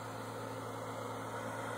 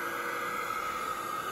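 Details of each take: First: $5 hair dryer running inside a cardboard box, thermal switch cycling heat off and on, box temperature dropping from about 200 to 155 degrees: soft steady air rush over even low electrical hum; normal running. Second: $5 hair dryer in cardboard box with thermal switch bypassed, box at 240–284 degrees before the thermal fuse cuts out at 305: steady airy rush with thin high whine, sudden burst at end; overheating sound change.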